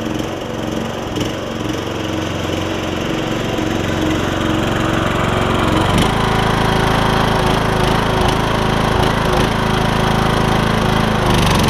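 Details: MTD Craftsman LT2000 riding mower after repairs to the drive and mowing systems, including belts and a pulley: steady single-cylinder drone with blade whir, note dipping briefly as the deck engages; deck engages well, mowing normally.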